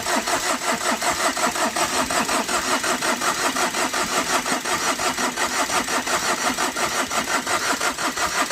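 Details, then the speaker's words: Overheated Tata Vista: steady cranking with even compression pulses about three a second never fires, even after a petrol-soaked cloth is tried; smoke escapes, engine declared failed. "इस वजह से गाड़ी start नहीं हो पा रही है इसका इंजन फेल हो चुका है"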